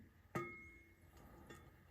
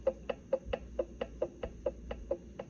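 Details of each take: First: Quick-change rear end for a roadster, 9-inch Torino ends: the carrier set into the housing gives sharp metallic pings with a bell-like ring striking the reinforcement ribs; fix is grinding a little off the ribs. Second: So the ring and pinion, just a little bit of lash between the gears.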